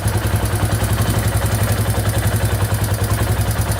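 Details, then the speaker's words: 2001 Yamaha Warrior 350 single-cylinder quad idling after a loose exhaust valve was adjusted: even low thump, top-end tick gone, faint rattle still heard near the timing chain. "alright so the ticking in the top end went away but i can still hear it a little bit by the timing chain so we're just gonna tear it all apart and take a look"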